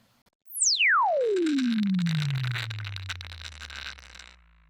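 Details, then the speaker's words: Speaker under test during a falling sine sweep: gritty, crackling rattle rides over the tone; loose-particle transient distortion in a bad speaker. "I'll play you a speaker with loose particle distortion here. Do you hear that rattling noise?"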